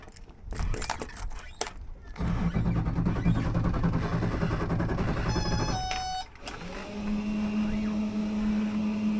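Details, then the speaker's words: Outboard boat engine after replacing the fuel/water separator filter, which was fitted without pre-filling with fuel: starter turns it over steadily for a few seconds with no firing until the primer bulb is pumped; no start due to unprimed fuel system. "Hey guys, so after a few attempts at cranking it, I decided I actually needed to pump the little ball back in the back engine compartment."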